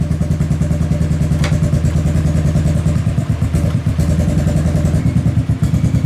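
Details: Kawasaki KFX700 quad, carb cleaned, timing chain checked, spark present: deep lumpy idle with uneven thumps and sharp pops about every second; intermittent misfire with backfire into the intake, owner suspects a stuck valve or bad timing chain.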